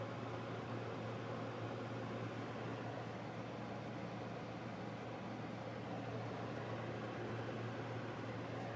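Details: Wall heater on its first start of the season in heat mode on low fan, set to 72 and still burning dust off: even low hum under a soft, steady fan rush, no rattles or surges; normal heater operation.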